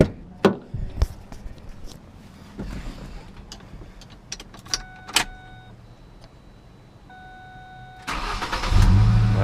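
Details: Ford Ranger after battery replacement, old battery having strained on morning starts: a few chimes, then a short crank and the engine catches right away into a steady run, no dragging starter.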